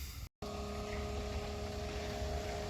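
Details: RV macerator pump emptying black water into an IBC tote: after a brief pause the motor starts with a steady low hum that holds an even tone. Normal pumping.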